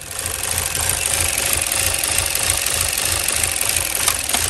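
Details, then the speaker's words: 2016 Chevy Cruze 1.4L turbo Ecotec run about four quarts low on oil, nearly empty: fast, fairly even ticking about three per second, valvetrain clicking from oil starvation. "i hear that clicking all right it was reading about it was about four quarts low so basically empty a quart don't know how steel running"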